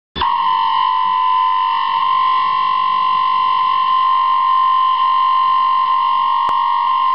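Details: Dishwasher noise: a piercing high-pitched tone starts suddenly and holds unchanged with no rumble beneath; abnormal whine, cause not determined.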